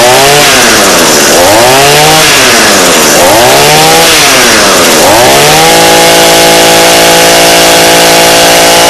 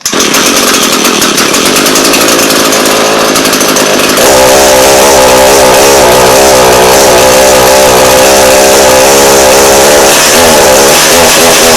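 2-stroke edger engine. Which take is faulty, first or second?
second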